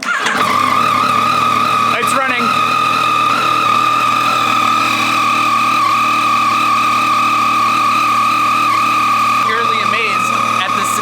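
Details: Yamaha FJ-09 at its first start right after fitting an APE manual cam chain tensioner to cure left-side engine ticking: steady, even idle with a smooth whirr and no ticking or rattle; it runs cleanly.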